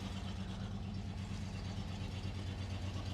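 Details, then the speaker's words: 1955 Ford F-250 started after sitting outside over 40 years, stuck carburetor throttle linkage adjusted: smooth, even low idle with no knocks, misses, tapping or hunting and hardly any smoke; running clean. "let's see if it'll start up in idle man that sounds really good for 43 years hardly any smoke i mean almost nothing"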